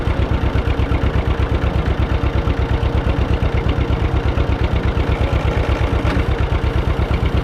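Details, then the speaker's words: Barn-find John Deere 630 tractor, just started, with a carburetor that seems dirty and tends to die out. Slow, even putt-putt at about three beats a second with a sharp tick on each pulse; put down to a small leak on the manifold, seen blowing out. "So, it sounds like that ticking noise is a little leak here on the manifold. It's blowing out right here."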